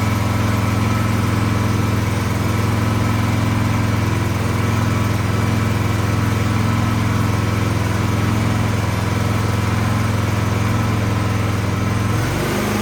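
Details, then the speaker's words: 26-inch Troy-Bilt snow blower single-cylinder engine runs a rough, steady idle only on full choke and dies when the choke comes off; carburetor problem, carburetor to be cleaned. "all right so that tells me something is going on in the carburetor because it's only running on full choke so let's pull it apart"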